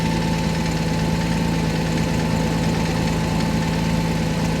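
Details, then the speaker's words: Ticking at idle on a car with 96,000 miles, smoking slightly at startup: a light, fairly quick tapping chatter over the steady idle, heard up close; called a tapping rather than a knock, cause not pinned down. "all right this one has that famous I I hesitate to call it a knock it's a little bit of a tapping see if you guys can hear let me get a little closer for you"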